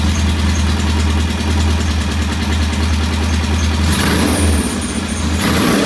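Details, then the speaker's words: Norton P11 competition twin, after cleaning debris from the jet (choke needed to start): even, steady thump at a set 1,000 rpm idle, constant pitch, no misfires or clatter; idles cleanly. "All right, that's a very nice uh,000 RPM idle. I'm going to leave it there."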